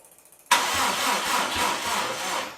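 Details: Subaru Impreza with freshly rebuilt engine on EJ207 block, cranking to build oil pressure after extra charging and a jumper: sluggish, uneven cranking that sags and fades after two seconds; flat battery barely turning the engine.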